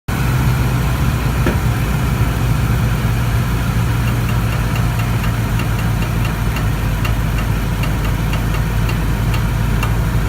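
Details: 2014 Toyota Tundra at idle: a steady low idle with faint irregular sharp pops on the driver's side. Popping noise, source not pinned down.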